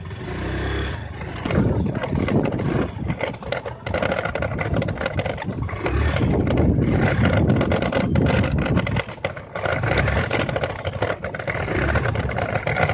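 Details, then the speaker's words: Honda Activa 125 scooter riding on a straight road after replacing a loose headlight clip: steady engine drone with road rush, no clicking or rattling from the front; headlight rattle fixed. "तो अब देखो तो कि पिछले अब कोई आवाज नहीं आ रही है देखो भाई देखो अब कोई आवाज नहीं आ रही है ना के बराबर आवाज होगी"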